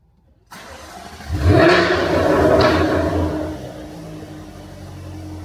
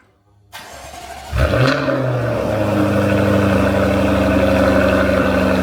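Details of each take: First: Jaguar F-Type startup: engine catches, flares to a loud raw roar and settles to a deep booming idle; active exhaust valves default open to maximum-loudness mode at start. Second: Jaguar F-Type cold start with active exhaust valves in open (loud) mode, held open for a few seconds until engine vacuum builds; starter cranks briefly, sharp rev flare, then loud steady fast idle: normal cold start.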